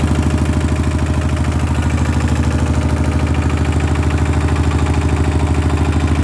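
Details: RT100 two-stroke motorcycle idling at an oil change, oil long unchanged: steady low burble with an even beat and no knocks or rattles; smooth, healthy idle.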